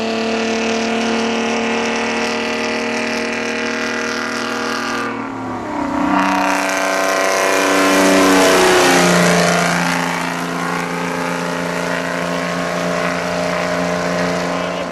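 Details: Chevrolet D60 truck with Detroit Diesel 4-53N two-stroke engine at its 3000 km service: loud, smooth diesel roar with whistling pitch that dips and climbs with revs, running cleanly; healthy engine, normal running.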